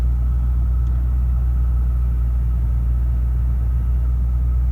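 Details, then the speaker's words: Lexus GS430 V8, just restarted after exhaust valve guide replacement, new valve stem seals and a cylinder head skim to fix oil consumption, idling with a smooth, even low rumble and a faint steady tone above it, no knocks or misses; idle spot on. "But the engine is idling absolutely spot on."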